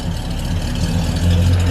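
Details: 1978 Ford XC Cobra barn find, first start in 6 years: deep, steady, even idle with a low rumble and no knocks, misses or rattles; engine runs smoothly and sounds healthy.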